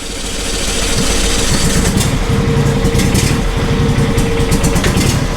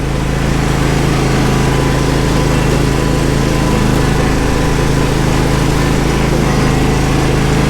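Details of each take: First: John Deere SST16 zero-turn mower, unused for 5 years and burning off old yellowish fuel: a small single idles with an uneven thrum that swells and sags while the front wheels move. Engine surging at idle, fuel suspected. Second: John Deere SST16 zero-turn mower, about 253 hours, which sat 5 years because it would not start: a steady, even high-speed drone at full throttle, running smoothly with no misses, surges or knocks. It is slightly rough at idle, and the owner suspects bad gas.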